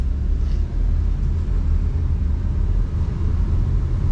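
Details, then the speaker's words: 2006 Dodge Ram 1500 on the road after a crank-no-start, suspected fuel pump, bought for its engine and transmission; steady low road rumble, engine pulling smoothly, no flare, clunk or slip between gears. Normal automatic shifting, "shifts like butter". "it just shifts like butter no problems at all i mean the engine sounds great the transmission feels even better"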